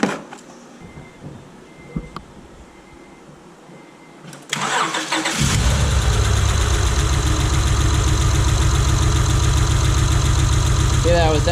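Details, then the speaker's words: 2005 Acura TL 3.2L V6 after shop timing belt and water pump replacement following belt failure, cylinder 4 misfire code: lumpy, uneven idle with a steady stumble each cycle; misfire at idle, dead cylinder. "all right so you heard it it's definitely got a dead mess"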